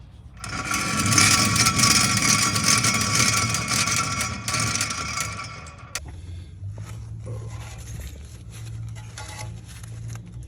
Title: This is a bad wheel bearing